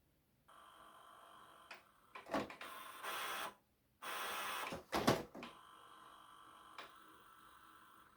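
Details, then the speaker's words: 2003 HP Photosmart 7260 inkjet printer on a print command: short separate motor buzzes and whirs, but no steady feed follows. Paper feed failure; the dirty paper pick-up roller is suspected of slipping and gets cleaned. "It doesn't do anything, oh. No. The first thing I'm going to do is clean that one. That's the one that feeds the paper."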